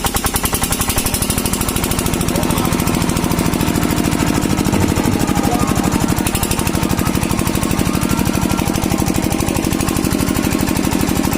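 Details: Kirloskar single-cylinder diesel after diesel filter replacement for a starting problem: steady, even heavy thumping at about three beats a second with no misses; normal running.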